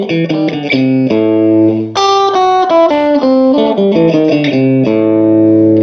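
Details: Vintage 1949 Gibson BR-6 tube amplifier after servicing, cleaning and repairs, final tone demo played with a Fender Strat single-coil: guitar notes come through clean and full with no hum, crackle or breakup; normal healthy amplifier tone.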